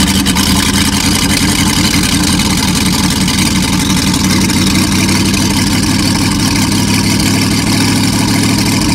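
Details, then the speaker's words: Packard 356 marine engine (nine-main-bearing, circa 1950), first run after rebuild with excess cylinder oil being cleared, final adjustment pending: steady, even low rumble with no knocks or misses; normal idle. "so first run after rebuild so we had lots of oil on the cylinders and that all had to be kind of cleaned out so i think we're getting there now"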